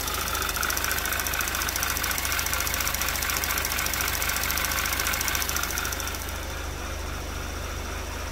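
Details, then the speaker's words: 2011 Audi TT Quattro 2.0T TFSI, first run after engine-damage repair, oil possibly slightly overfilled, on a chilly day: fast, even ticking of about 3.5 per second over a smooth idle. Lifters are noisy, cause unknown, with oil pressure at 40–45 PSI. "Lifters are getting a little noisy. Not exactly sure why that is."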